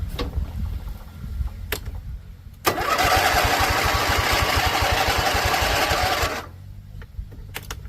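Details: Husqvarna Z254 zero-turn mower after a PTO clutch install, first try in a couple of weeks: steady cranking at about three beats per second for nearly four seconds, never fires; cranks but won't start.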